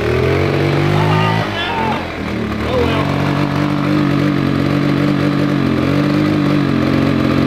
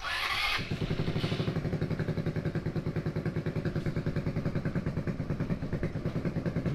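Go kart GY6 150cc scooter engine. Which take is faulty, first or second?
second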